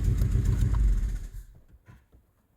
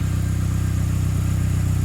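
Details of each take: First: Saab 9-3 Aero with a compression problem, restarted hot after ATF soak of the cylinders and steam cleaning: catches quickly, even idle with no missing beat, now seems to have compression on all four and almost no smoke. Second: Saab 9-3 Aero, hot after ATF cylinder soak and steam cleaning, now running on all four: even idle with a sharp regular puffing chuff on each firing pulse, an exhaust leak audible; bit of black smoke from running rich.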